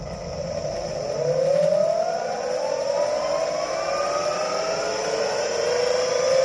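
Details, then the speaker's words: Meepo electric skateboard with BoundMotor direct drive motors running sensorless, at low speed: rising whirr climbing with wheel speed over a rough, uneven rasp, wheel visibly wobbles; owner suspects bad, very stiff supplied bearings, not confirmed. "alright here's another one and low speed you can hear some of the noise and you and you can see it wobble"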